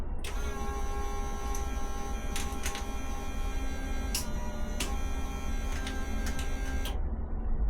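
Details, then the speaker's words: Ducati 750SS that sat for years, at first electrical power-up: a steady electric whine with faint clicks that never stops. The fuel pump runs continuously; the owner is unsure whether it is just priming. "I'm not sure if the fuel pump is trying to prime the fuel, and this is why it's making that cont"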